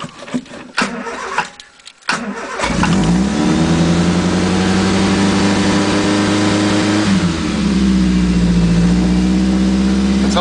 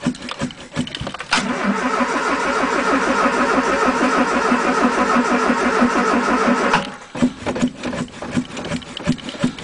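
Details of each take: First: 1980 Triumph Spitfire 1500 with a Weber two-barrel, just started on a freezing day: it catches and races to a very high, steady idle of about 2,500–3,000 rpm, rising then holding; a high fast idle while cold. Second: 1980 Triumph Spitfire 1500 with a Weber two-barrel, freezing-cold start with the throttle pumped first: slow, labored cranking on a weakening battery catches and runs unevenly, then goes back to cranking; hard cold start needing long cranking.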